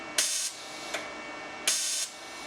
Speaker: all right you hear that buzzing in there that is the high frequency star